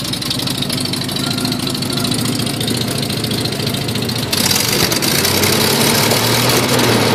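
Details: Nissan Z31 on a really cold morning: loud, raspy idle with fast ticking puff and uneven cam-like lope; timing belt one tooth off, exhaust leaks from broken head stud, cracked manifold and broken manifold-to-crossover stud.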